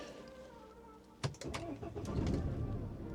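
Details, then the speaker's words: BMW 1 Series diesel that had run out of fuel, refilled, with the ignition cycled and the clutch down to try to prime it: quiet, then a sharp crank as the engine catches and runs unevenly, with the engine light still on. "Oh, and it started. It started."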